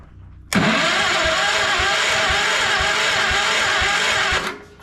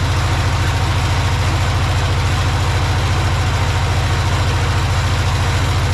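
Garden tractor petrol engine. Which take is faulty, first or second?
first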